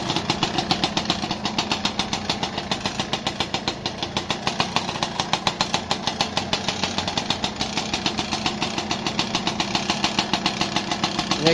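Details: Yamaha Alfa two-stroke / Honda Supra 125 engine at idle, weak power: sharp regular metallic tick about 3.5 per second from cylinder area; piston slap, piston found with bore gap, to be replaced.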